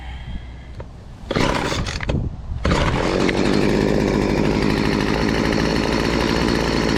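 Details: Model BC 2500 LE weed eater after retightening loose head that had lost compression, no carb work or adjustments: catches after a couple of pulls, steady clean high buzz at full throttle; running healthy.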